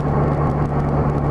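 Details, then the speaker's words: 1984–85 Honda GL1200 Gold Wing after Honda's low-speed driveability carburetor kit, in fourth gear at low speed, about 2,400 rpm under light load: steady even drone, no surging or stumbling; normal low-rpm running. "running in fourth gear real low speed about"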